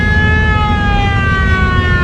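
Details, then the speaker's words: Dash siren on an old parade train whose Buick nailhead engine sat for twenty years, not known to work until its button was found: steady, loud wailing siren tone over a low vehicle rumble; siren works. "old radios here you can hear the siren going off on it we weren't even sure if it worked and my husband happened to find the button for it so that's pretty cool"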